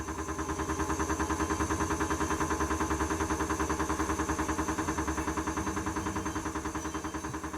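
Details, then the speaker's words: Washing machine: steady thumping about three knocks a second from a loose concrete counterweight on the drum, gapped on one side; the noise stops when the block is pressed; fix is tightening its bolt or spring. "Genellikle bu tür sesler kadın üzerindeki beton blokların sabit olmaması kaynaklı oluşu Bu gördüğünüz gibi bir tarafın şınga gevşek olduğu görülüyor"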